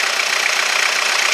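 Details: Peugeot Partner 1.9 diesel just after a full timing belt kit replacement: an even, steady diesel clatter at idle with no misses or stray knocks, with the fan belt running. The engine is idling normally.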